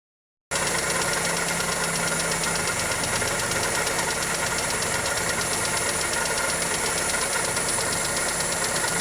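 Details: Toyota 2E engine (Corolla EE90) at idle: a fast, even ticking over the engine note with no load change; light top-end tick, valvetrain or connecting rod suspected, not confirmed.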